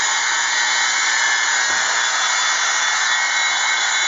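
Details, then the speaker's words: 1/4" Thor electric drill, older than the owner, running at no load after rebuild; steady smooth high-pitched whir, no crackle or rasp; it seems to be speeding up, maybe as the brushes bed in, and it no longer sparks like it used to. "so it does seem to be speeding up so maybe it's just a breath brushes are getting in it's not sparking like it used to"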